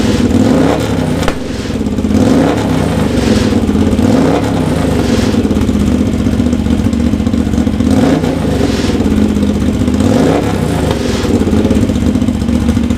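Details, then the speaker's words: Honda GL650 first start after full rewire, stock headers with crossover into a merge and Cone Engineering muffler, pipes smoking as paint bakes on: deep even exhaust burble with clean throttle blips, no knocks or misfires; normal revving. "it's probably good for the first start the smoke it's baking the paint onto the pipes and the heat wrap and whatnot this sounds really good right"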